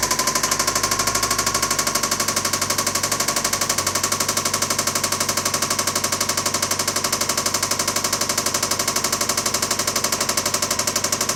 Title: Rod Knock